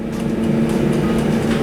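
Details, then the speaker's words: Airbot air fryer burn-in run at 200 °C on a 30-minute timer, about 15 minutes in: steady low hum with a soft, even airflow whoosh, no rattles or scraping; fan running normally and quietly. "ผ่านไป15นาทีเครื่องก็ยังไม่มีปัญหาอะไรนะยังทำงานปกติมาแล้วเปลี่ยนที่ผมเผาและก็ไม่ค่อยรุนแรงเท่าไหร่นะรุ่นเนี้ยเทียบกับอ่าหม้อรุ่นอื่นๆที่เคยใช้มากินอย่างแรงกว่านี้นะครับ"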